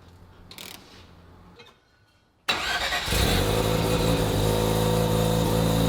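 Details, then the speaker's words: Rotary-engined Corvette, first start, running through repurposed titanium Corvette Z06 exhaust: loud, choppy, uneven raspy idle because an exhaust back-pressure port was left open, not hooked up; oil pressure good; rough idle from exhaust leak. "We just didn't hook it up. That's what you hear when you hear the weird sounding idle, but you can see the beautiful smoke billowing out of the Corvette exhaust pipes being repurposed for the rotary engine."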